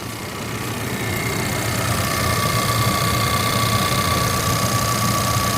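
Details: New 2020 Ford Ranger at about 310 miles, just after a cold start at 60°F: light fast buzzy rattle and thin whine over idle, easing somewhat when warm; owner traced it by stethoscope to the direct-injection pump on top of the engine.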